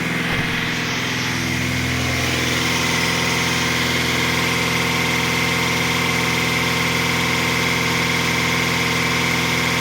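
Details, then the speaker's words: Gazelle van gearbox, owner chasing a transmission hum: fifth gear at 100 km/h on cruise, steady engine and road drone with no whine or growl from the box; gearbox sounds quiet and normal in fifth, driveshaft then removed for inspection. "Пятая передача. Скорость скорость 100 км/ч [музыка] на круизе. Звуков нету от коробки."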